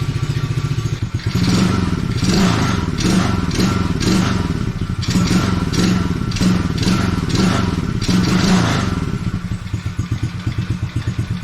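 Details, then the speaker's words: Coolster 110cc quad after sitting two years, first start after fuel and air filter reconnected, without choke, still warming up: single-cylinder putters evenly, revs up and down cleanly, no stumble or misfire; normal running. "it runs fine without the choke so there we go it takes a little bit to warm up"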